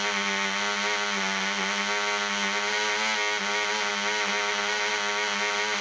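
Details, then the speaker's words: Black Widow mouse racer glow engine on its first test run: polished crank bearings, fitted cylinder/piston, high-compression head, 5x3 prop, 24% nitromethane, needle at three turns. A steady high whine at constant pitch with a soft, blubbery edge; it is running rich. "that sounded pretty good run it rich one more time and then we're gonna turn it loose"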